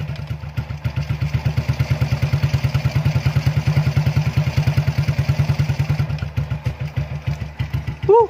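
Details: Single-cylinder motorcycle that would not start, apparently from water in fuel: steady, even thump at idle, about three beats a second, no misses; running smoothly again; normal idle.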